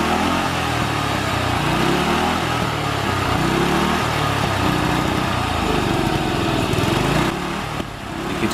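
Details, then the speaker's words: Murray riding lawnmower, small single-cylinder engine: runs unevenly, then sags and nearly dies when the throttle is released; carburetor adjustments later made it run much better without cutting out. "Hear it there, the engine dying a little bit when letting off the gas. Some adjustments in the carburetor got it running much better."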